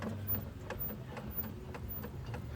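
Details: CV axle rocked back and forth by hand, showing excess play in its length adjustment: soft, light clicks about three a second. Suspected worn outer CV joint.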